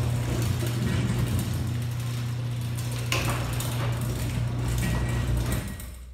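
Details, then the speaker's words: Genie ProMax 1/3 HP chain-drive garage door opener running: low steady humming drone for about five seconds then winds down; trolley chain a little loose. "can see it's not a very lot of drinks it kind of has a humming sound to it but the thing that slides chain which is a little bit loose"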